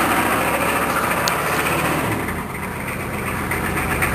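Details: K5 diesel on a freezing day after glow plug heating: steady cranking churn with the odd brief catch that never builds into a run; it won't fire and hold.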